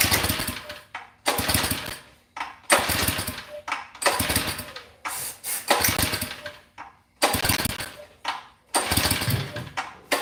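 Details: Mini bike small engine being started after kill-wire work, starter spray used: repeated rough cranking bursts about every second and a half, never catches and runs; hard starting, owner suspects flooded.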